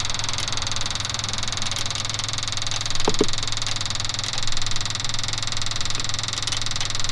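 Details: Ford F250 6.9 IDI diesel after injection pump replacement, injector lines loosely snugged for bleeding: lumpy uneven idle with knocking from some cylinders while others drop out; air not yet bled from injector lines.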